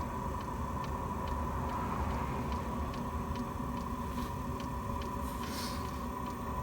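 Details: Chinese diesel heater with E-08 code after the glow plug was changed: steady burner roar with a soft fuel-pump tick about twice a second, even and unbroken; heater running normally.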